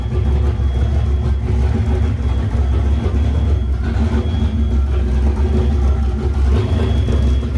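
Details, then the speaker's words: Boosted Fox-body Mustang running after repair of over-boost damage: deep steady rumble, even firing, no knocks or rattles at fast idle; everything sounds pretty good. Normal running. "all right everything sounds pretty good"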